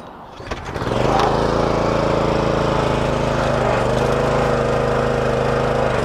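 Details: Discarded Honda pressure washer after a carburetor cleaning and a pump rebuild with new gaskets, started with water hooked up and no pump leaks. Engine catches and settles into a steady, even drone with a firm low beat and no misses; runs healthy under pump load.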